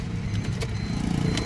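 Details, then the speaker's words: Maruti Swift Dzire diesel after engine repair, all work completed: steady, even diesel clatter at fixed idle rpm, clean start, no misses, knocks or hunting; no check engine light, healthy. "Engine वगैरह का sound वगैरह एक number है यह देखो starting एकदम प्यारी और आरपीएम बिल्कुल फिक्स"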